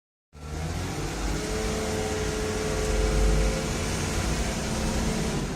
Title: Brake noise